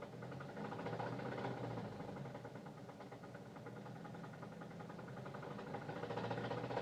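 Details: 2006 Saturn Ion, owned five years, knocking began two weeks ago: quiet idle with fairly regular light knock about four per second; mechanic suspects a piston, others suggest another engine fault; owner says it won't rev up.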